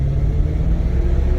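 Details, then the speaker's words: 2000 BMW E39 M5 on first drive: stuttery on initial takeoff up to 2000 rpm, but just above 2K it pulls cleanly with a deep strong exhaust rumble and no stumble. Normal acceleration. "Right over 2K, the car feels great."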